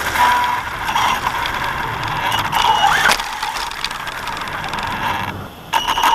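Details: Axial Yeti RC truck driving after its front left tire hit a tree: a thin squeak chirps over ratchety rubbing. Owner suspects a squeaky bearing and possibly something bent; not confirmed.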